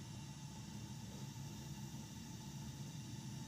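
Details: Lennox steam boiler on a no-heat call, fired after a rigged replacement transformer and with a bad vent damper found: steady low roar with no surging, popping or pulsing; gas burner firing evenly during safety-control tests.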